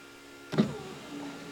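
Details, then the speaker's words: Dodge 5.9 Cummins truck, passenger front power window after temporary rewiring of switch power: short clean motor whir with thunk as glass moves, no grinding; window works after repair. "Now, when I turn the key, my control for this window should be my passenger front. So if I hit this up, fingers crossed, say a prayer for me."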